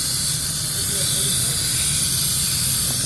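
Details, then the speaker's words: Workshop compressor losing pressure immediately: constant sharp hiss of air escaping at one spot, possibly another, over low rumble; vibrating, oscillating running; leak location being traced, cause not understood. "Sounds like Right it's here. coming from Right there. just like that."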